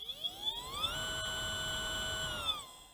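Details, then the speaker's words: Micro Flash Gamma combat robot weapon brushless motor, held near microphone under throttle on a 3S LiPo (box rates it 3–6S): rising electronic whine with choppy cut-outs at spin-up, then drops off; stutters and runs slow, low voltage problem between motor and ESC. "You can probably hear a distinct sound difference there. Slow."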